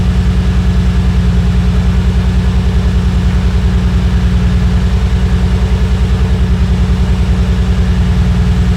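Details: Nissan Skyline R34 at low idle: uneven, lumpy pulse about three beats a second, one cylinder dropping out; misfire traced to a failed ignition coil on cylinder number four from the front.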